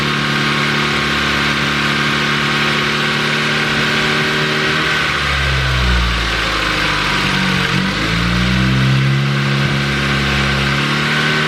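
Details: Ford Focus ST with a newly built replacement engine (Speed Performance pop n drop kit) after the stock engine blew at 450 whp, startup: it settles to idle, then the speed sags and wavers for a few seconds before picking back up; bogging after startup.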